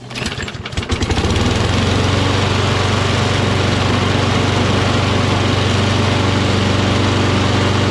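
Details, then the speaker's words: Toro Recycler XT675 self-propelled mower with Kohler engine, after cleaning a debris-stuck choke flap and the air filter: fires after a few pulls and settles to a smooth, even beat. Normal running. "There ain't nothing wrong with it now."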